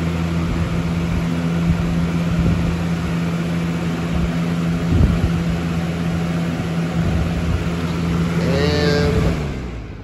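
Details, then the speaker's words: 2000–01 Lasko 3733 box fan on high speed, motor not yet oiled: steady low hum with rattly rumble, fan shaking heavily, then winding down after switching off. "And here is high again. Shakes like crazy. I don't know if you guys can look. I'm at the seat, but yeah, this fan shakes like crap."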